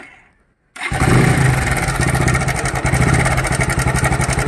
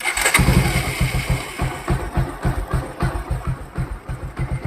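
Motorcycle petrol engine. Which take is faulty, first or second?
first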